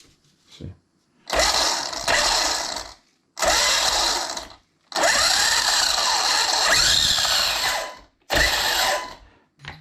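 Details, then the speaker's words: Arrma Kraton EXB RC car on stand after cleanup, spare 1650kv motor and 6S spur installed: short throttle bursts, smooth whir rising and falling, no clicking or grinding; drivetrain sounds okay. "I'm going to give it a quick test to see how it sounds."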